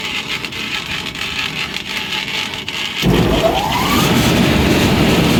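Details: Cambridge direct-fired makeup air unit that locked out on airflow, actuator out of adjustment. Blower started in local with the burner off: tone climbs smoothly to a steady, even rush, no longer wobbling. Damper still not closing.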